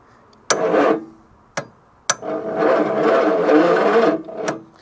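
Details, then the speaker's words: 1966 Ford Zodiac Mark III abandoned for decades, its starter fed straight from the battery to the solenoid because the ignition is gummy: the six turns over sluggishly in uneven, lopsided bursts, suggesting a weak starter and low compression on some cylinders. "okay that starter doesn't have too much life in her so I want to preserve her and look with hindsight that engine really doesn't sound too healthy at all does it"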